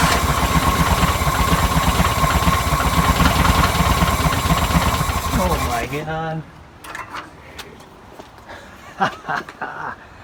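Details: 1962 VW Type 2 bus flat-four, first start after over 40 years, with spark, new belt, cleaned points and fuel poured in: steady, slightly lumpy beat for several seconds, then winds down and stops; engine running.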